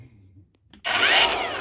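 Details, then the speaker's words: Makita (Chinese-made) cordless mini chainsaw that beeped but would not start, after controller replacement and a new soft oil hose: after a second of quiet the motor spins straight to a steady high whine, oil feeds at once, saw runs normally. "даже масло сразу подаётся Ну то есть уже ну какой-то там остаток прокачивает Ну и пила запускается"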